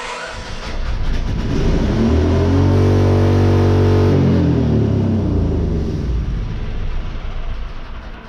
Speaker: Sounds like the governor's stuck on that one too.